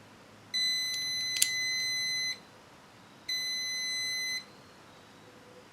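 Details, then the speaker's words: 1974 Honda TL125 points and timing check: high continuity-tester beep continues past the firing mark before stopping, so points open slightly late; timing tweaked. "right so we're off a little bit we're off by just that much so I'm gonna tweak it I'd like to get it perfect"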